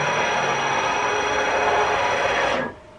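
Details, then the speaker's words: DIY CNC build driven by Mach3 through a USB breakout board, fast rapid traverse at about 6,000 on a long ball screw: a loud, rough, steady whine with a buzzing edge, then it cuts off; everything wiggles as the ball screw whips at this speed. "whip whip whip yeah let's make it eight so it becomes more [Applause] terrible everything is wiggling so even thick uh 6,000 is not nice"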